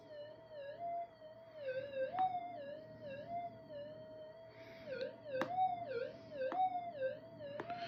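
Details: Minelab GP Extreme gold detector after repair of burnt area: warbling tone swells and dips each pass of the test piece, sharp clicks between passes; normal target response.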